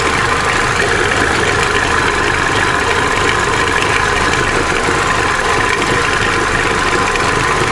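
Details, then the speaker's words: Opel Corsa D A14XER 1.4 with automatic, 65,000 km, codes P0011/P0014: warmed-up idle is steady and even with only faint injector ticking, normal; slight chain knock still felt when driving under load. "вот сейчас мотор прогрелся слышно только небольшой Шеле форсунок Всё в пределах [музыка] норма"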